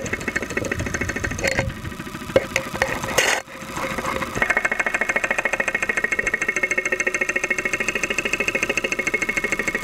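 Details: 2001 Saturn SL2 at idle, stethoscope microphone, after being run with very low oil; not run for two months, oil pressure about 35-40 psi at idle. Steady, rapid metallic knocking in time with the idle; internal knock suspected, not confirmed.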